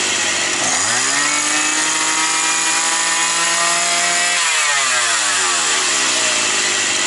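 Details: Likely 52cc brush cutter that started and stalled, probably after winter storage, air filter refitted (mixture may run slightly rich). It spins up cleanly to a steady high buzz, holds, then winds down; owner feels the carb jet isn't at 100% and may replace the carburetor.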